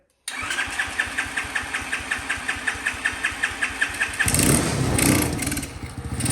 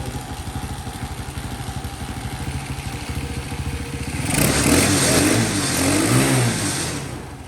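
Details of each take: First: Champion, new, previously no spark: even cranking pulses, then catches and settles into a steady healthy run; may need a minute to warm up, idle possibly needs turning up slightly. Normal start and idle. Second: Champion small engine just fixed of a no-spark fault: putters at a slow, slightly uneven idle, then revs briefly; idle sits a touch low and needs turning up.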